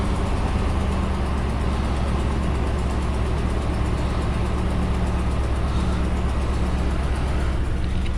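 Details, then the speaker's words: Truck parked since around 2022 with old gas, just started after repairing rodent-chewed ground wire: low uneven idle with irregular firing rhythm, running rough; owner suspects stale fuel, ignition not yet checked. "now she's running a little rough and I'd be willing to bet that's because it's got uh one crappy old gas in it"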